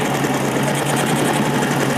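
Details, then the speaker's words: 1956 BSA BB31 single-cylinder motorcycle, started by hand: steady, even idle with a smooth, unbroken beat, no knocks or rattles; healthy engine. "Wow anteng banget gasnya dan suaranya juga cukup halus dia menurut saya dengan buatan tahun 1956 kondisinya seperti ini ini keren banget ya"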